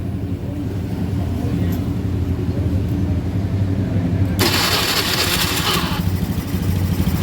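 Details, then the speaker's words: Honda Scoopy FI scooter after starter/generator repair (loose magnets refitted, rotation had been reversed): engine fires and runs with steady low putter, brief louder rush; electric start now works. "Có thể làm được, giờ thì làm được rồi."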